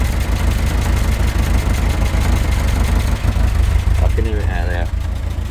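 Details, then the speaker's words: Talbot Express van after engine mount and valve work, idling after test drive: low, lumpy idle with a soft puffing chuff on each beat; exhaust blow that sounds pretty bad, engine otherwise quiet, no visible leaks. "so we've got a little bit of a blow on that exhaust but they do full exhaust systems the whole lot for them so i might just have to get one of them luckily i can't see any leaks at the moment sounds quite quiet other than that exhaust leak which is sounding pretty bad"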